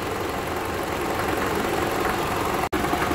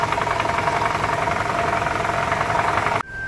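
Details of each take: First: 2012 Toyota Camry 2.5 (2AR-FE) idling in drive with brake applied and AC load: dense gritty drone with uneven knock three to four times a second, worse at low rpm under load depending on engine heat; stethoscope locates it at the balance shaft. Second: 2012 Toyota Camry 2.5 2AR-FE at idle after a balance shaft replacement. Run about 10 minutes, now at normal operating temperature. A light, steady mechanical patter with no heavy knock. The earlier low-rpm rattle under load is much better.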